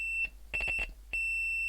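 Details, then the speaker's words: Repaired blown, open-circuit woofer, fixed with a soldered wire lead. Clean, steady high beeps are heard with no buzz or rattle. Normal tone reproduction after repair. "the speaker's making a nice sound"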